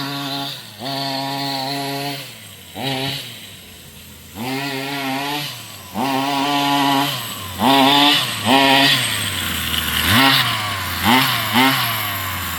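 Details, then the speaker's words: Rovan 45cc engine in XLT RC after clutch change: short revs climb hesitantly and sag with a hollow, flat note, no power, "like it's not breathing"; owner wonders if too rich. "It sounds way different, guys. It sounds super different. It's like it's not breathing."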